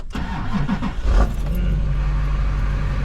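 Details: Hummer H1 with Duramax diesel, first start after sitting 2½ years on old fuel with used batteries: brief crank, quick catch, then a deep, steady idle with even firing and no knocks.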